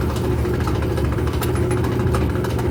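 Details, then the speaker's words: Whirlpool/Kenmore gas clothes dryer running while drum spins, igniter lighting normally: steady low droning rumble with faint scraping clicks; worn drum support roller bearing. "Bueno, solamente hace un poco de ruido al momento de estar este centrifugando."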